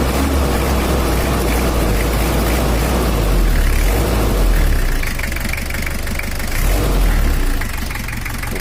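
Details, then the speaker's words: Toyota Kijang LGX 2L diesel after rebuild and injection adjustment, engine cleaned and ready for handover; steady idle with light even clatter, not too dry or harsh, no knocks or misses; normal smooth older-diesel sound. "ini untuk tahun yang lama ini suaranya udah ada cracknya enggak terlalu garing dan juga enggak terlalu kasar kalau juga sudah halus suaranya"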